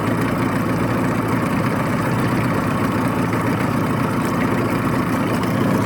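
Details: 1989 Yamaha 25hp outboard on flush water with the cowl on, after reinstalling a flipped fuel pump diaphragm (fuel strainer has a hairline crack). Steady, even two-stroke buzz at fast idle with no misses, knocks or surging; running normally.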